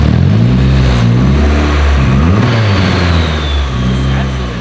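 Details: Freshly built Nissan SR engine in a coupe with electronic throttle, on its first run. Clean throttle blips: revs rise and fall smoothly with an even note and no knocks or rattles. Healthy engine.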